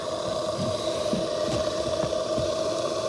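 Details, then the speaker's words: 2003 Chevrolet Avalanche 1500 blower motor, passenger side, replaced about six months earlier: steady mid-pitched whine with irregular light ticks; owner suspects dry internal bearing. "to me sounds like the bearing's dry inside"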